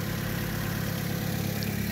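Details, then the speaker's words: Vauxhall Astra H 1.4 SXi petrol, 79k miles, first start of replacement engine after the old one had top-end and bottom-end damage: steady, even low idle with no knocks or ticks; normal idle. "doesn't sound terribly bad who learned his back so the engine rebuilders had a [ __ ] cold oh okay so new engine inside the after the Astra is alive again guys"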